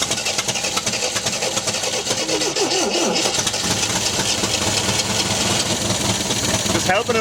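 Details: 1974 MGB GT, sat unused 29 years: engine catches and runs unevenly, surging and faltering without settling to idle; rear carburettor float bowl leaking, ignition timing suspected too far advanced; rough running.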